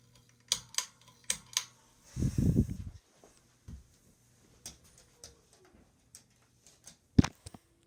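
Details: Harbor Breeze Ocracoke 42" ceiling fan running slowly: faint hum with sharp, uneven ticks and clicks, from a failing start capacitor.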